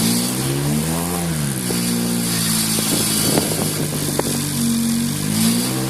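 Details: Engine revved from idle with a Pumaspeed muffler gives an odd, droning, resonant tailpipe note that shifts with engine speed; the strange exhaust noise has an unclear source.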